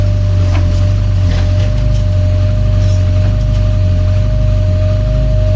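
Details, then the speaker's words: 1982 VW Westfalia with Subaru engine swap idling around 675–700 rpm, engine about 91°: steady low idle hum with a constant thin whine on top from the noisy electric fuel pump, later replaced with a quiet one. "But that sure is noisy, that fuel pump. I'm going to have to get a fuel pump that doesn't make noise."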